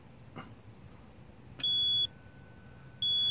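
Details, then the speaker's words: Brand-new Lennox furnace in attic, no heat, pressure switch error, inducer motor not spinning on heat call: two high steady tester beeps confirm 120 volts reaching inducer motor; capacitor to be checked, motor suspected defective. "look at that we got 120 volts I am cycling it on here you hear that that means I got 120"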